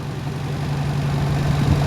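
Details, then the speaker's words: Toyota Paseo running after repairs: steady, even idle held fast at about 1500 rpm from a vacuum leak past a faulty valve; fixing the valve should bring idle down to about 1000 rpm. "like I said the idles at about 15 which is a lot lower than it was once I get that valve fixed and get enough vacuum pressure on it to pull the actuator up it should idle itself down to write out a grand which is OK for me"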